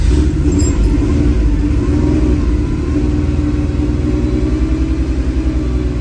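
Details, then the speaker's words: 1979 Porsche 911SC with a previous no-start fixed after an ignition restoration and a repaired bypassing CIS fuel distributor, on first startup; it catches and revs, then settles to an uneven pulsing idle because the CO mixture and idle are not yet adjusted. "she's trying oh she wants to play about to see what if we do the old throttle trick"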